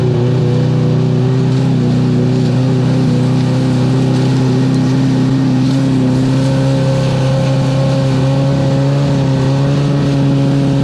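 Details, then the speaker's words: Sea-Doo HX two-stroke jet ski after shaved head raising compression to 120 psi, cold day on the water: steady drone with little rise under throttle, slow to gain revs; sluggish acceleration, cause unconfirmed. "I got to admit when I was when I was firing this up it seemed like it did not accelerate that well"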